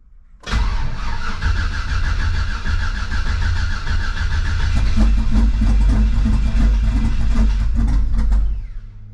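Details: Turbo LS V8 first start of 2025 after replacing intake gaskets to fix lean pop from an air leak, battery kept on tender: cranks and catches quickly, settles to even steady idle, no popping or stumbling; healthy.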